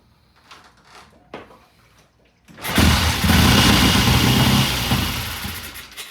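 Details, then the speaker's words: 1969 Triumph TR6 motorcycle, cold start after cleaning the pilot jet, sat 2 days: engine catches and runs unevenly, rising and sagging as the throttle is feathered and the carb tickled; owner plans to turn the starting-circuit adjustment in half a turn for richer mixture. "Okay, Nothing wrong. nah, it just needs to be real feathery with the throttle, and I would sloppy tickle it again."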